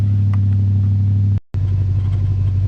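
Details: Ford Crown Victoria bought in 2005 and never really road-driven, pulled from the weeds with no exhaust fitted: a deep, loud, steady low rumble with a brief cut, the raw open bark of a V8 running with no exhaust.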